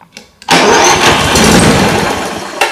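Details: Brand-new Toro 21464 Personal Pace mower with Briggs & Stratton electric start that keeps blowing the starter fuse, tested with the spark plug fitted: a brief click, then about two seconds of strong, even starter whir, cranking normally this time.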